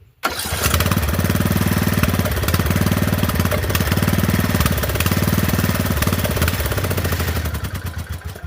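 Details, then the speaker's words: Poulan 12538 38-inch riding mower: it fires right up, holds an even, steady thump and winds down smoothly at shutoff; the engine runs fine. "So that's a good thing, it runs. That's good."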